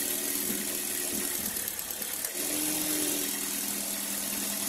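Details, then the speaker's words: Car engine at idle with one ignition coil pulled as a demo: steady note turns shaky and uneven as one cylinder drops out, a misfire from the disconnected ignition coil causing engine vibration. "kung Napansin niyo kanina nung inangat ko yung ignition coil nag-iba yung nginig nung ano nung makina nung Tinanggal ko yung ignition coil"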